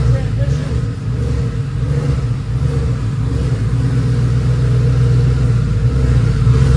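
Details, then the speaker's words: Ford F150 with a twin-turbo Gen 2 Coyote V8, fresh FFRE Stage 3 short block with Head Games heads, first startup after the build. A deep, steady idle with a firm beat and smooth throttle blips. This is a healthy, normal idle. "But long story short, it started. It sounded so good."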